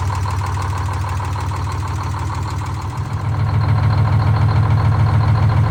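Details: Detroit Diesel 6-71 two-stroke in a GM 4104 bus after coolant-in-oil repair, fresh filter, run hard to operating temperature in neutral, thermostat opening: steady even low drone, regular pulses about 3.5 per second, picking up when worked harder.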